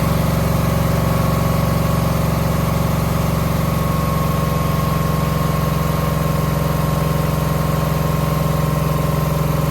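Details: 2009 Subaru Forester X NA EJ253, remanufactured OEM heads, third start after engine install: low, heavy idle with slightly uneven lumpy beat, one cylinder missing, not smoking; owner suspects cylinder 2 misfire from cracked head or water in block.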